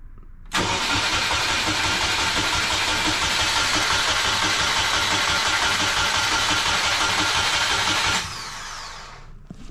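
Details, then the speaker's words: EJ20 engine in a 1995 Subaru Impreza L track car, long-sat, on a newly hooked-up harness: the starter cranks steadily for about 8 s at roughly four beats a second but never catches, though oil pressure is building. The fuel pump runs with the key off; no fuel is suspected, possibly a clogged filter, line or tank. "Yeah, I don't like that fuel pump runs when it's not supposed to. So it might actually just not be getting fuel."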